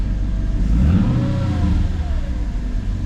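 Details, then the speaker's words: Mercedes C55 V8 with intake spacers, second start after a mixture adaptation reset, not yet warmed up: revs rise and fall cleanly with no stumble or misfire; feeling much more stable than before. "we should be good to at least drive cuz it's feeling a lot more stable than it was before"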